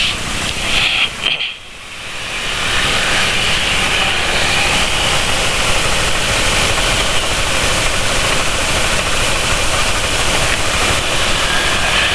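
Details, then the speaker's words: Motorcycle engine treated with Xado Revitalizant runs with an uneven, stumbling beat under a strong hiss. Owner attributes it to poor combustion rather than worn bearing clearance, not confirmed. "suara motor penulis kadang senyum ke kakaknya bukan karena klotakan toleransi bearing yang sudah lemah sudah besar sudah eh enggak rapat lagi tapi lebih karena sistem pembakarannya kurang baik"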